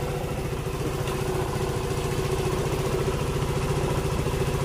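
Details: Yamaha Mio M3 scooter after injector and fuel filter replacement (previously wouldn't idle): fast, even idle around 1617–1700 rpm, steady beat, no misses or surging; normal idle.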